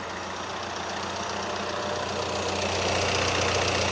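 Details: VW Caddy with 2.0 TDI common-rail diesel swapped in place of the 1.6, first start: even idle with steady clatter, no knock; cooling fans whoosh louder in the background, no engine light; healthy.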